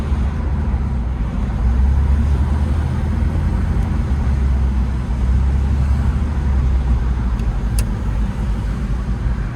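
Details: Air-cooled late Porsche 911 (993) on a test drive after replacing the cooling fan, which had caused age-related engine noise. Steady low engine drone and road rumble, with no whine, rattle or scraping.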